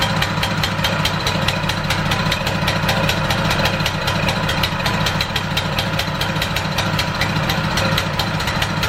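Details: ETQ Power high-pressure fire pump small single-cylinder engine, cleaned with new fuel, starts first pull and idles with a quick, steady firing beat, no misses or knocks; carburetor barely dirty, oil clean; normal idle.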